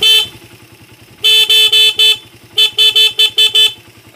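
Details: Horn on a motorcycle tested with the battery terminal disconnected and an electrolytic capacitor (elco) fitted across the battery: strong, clear toots, one long then bursts of four and six, steady full tone; horn working normally.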